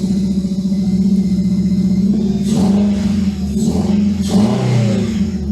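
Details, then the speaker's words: Supercharged Honda Civic Type R FN2 with EcuTek map, after parts removed and refitted, switched back to map 1: low lumpy drone, uneven through throttle blips, like running on three cylinders; misfire, cause unknown, plugs to be checked. "That sounds like a, I don't know. Sounds like a 3-cylinder."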